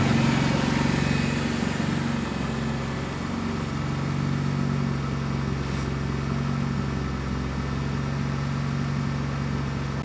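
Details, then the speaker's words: Honda Integra (DA9), naturally aspirated, tuned open loop, weak battery, warm not cold start: steady firm idle noticeably above the expected roughly 900–1,000 RPM; high idle. "one of the issues I'm having with it right now I don't know if you can hear it but it's idling a little bit higher than it should be right now and it's not because it's a cold start"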